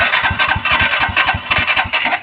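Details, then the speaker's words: TTS DPS 185 cc motorcycle, cold in the morning, very hard to start: uneven chugging that falters and dies, with backfire shots from the exhaust; fix is closing the spark plug electrode gap; hard starting with exhaust backfire. "kalau hidup itu kalau di kontak itu seperti itu dan suara dikenalp juga ada tembakan"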